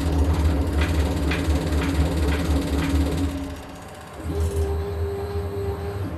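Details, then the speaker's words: CNC milling machine Z axis with linear scale fitted, formerly accurate to hundredths of a millimetre: rough rhythmic chatter about four times a second while travelling, then a steady whine; vibration traced to a loose ball screw nut. "That, my friends, that is nothing you wish for your enemies. So where does that come from now? I don't know. It must be over here somewhere, at the slides, linear scales, ball screw."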